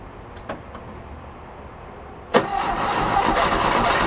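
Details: 1969 VW Fastback sitting 19 years, gas squirted into intake: after a pause the starter churns evenly and fast without catching; cranks but won't fire, starter rested to avoid overheating.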